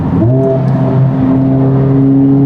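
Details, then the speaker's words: Honda Civic Type R (FL5) after a DIY transmission fluid change, downshift into a third gear pull: engine note drops then climbs smoothly under load, no grind or whine; normal downshift and acceleration. "Third gear pull. Butter, dude. Butter, dude."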